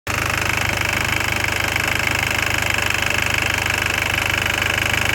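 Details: Audi TT 1.8T AUQ engine warm at idle: steady light ticking rattle at roughly three or four beats a second.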